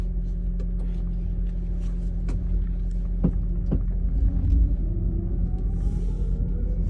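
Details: Sharp, uneven clicks as a 2015 Toyota Prius accelerates from a stop while the electric drive whine rises; source unknown.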